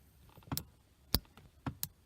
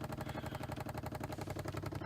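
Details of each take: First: 1993 C4 Corvette power seat lumbar pump, not working since owned, button pressed before repair: a few sharp single clicks about half a second apart with no motor hum; pump clicks but does not run, diaphragm failure commonly to blame. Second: 1993 C4 Corvette lumbar pump after diaphragm repair with a bicycle inner tube, tested before refitting the seat: quick even pulsing about eleven beats a second with low buzz, no skips or knocks, inflating; normal running.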